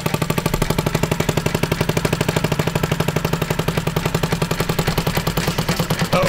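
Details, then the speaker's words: Seized 50cc four-stroke liquid-cooled Honda Ruckus moped recovered from the woods, first run: fast choppy chuffs sounding strained and near dying; exhaust suspected clogged with little airflow, slightly smoky. "Uh-oh. It's gonna die. I think it's clogged. I think it's really clogged."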